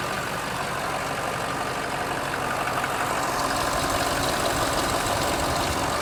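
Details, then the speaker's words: Diesel truck, restarted after sitting a day: loud idle with steady rough clatter and a faint whir over it; owner suspects a tensioner or AC compressor going bad, though motor ran great. "Sounds like we might have a tensioner or a AC compressor going bad, but the guy drove him out here. Motor ran great."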